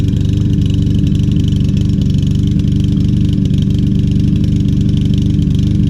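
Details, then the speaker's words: Troy-Bilt TB200 self-propelled mower, 150cc Briggs & Stratton engine, after carburetor and fuel tank cleaning, fresh gas: low heavy chugging with uneven stumbling beat; still missing, running rough and struggling. "let's see if it smooths out doesn't sound too good so far"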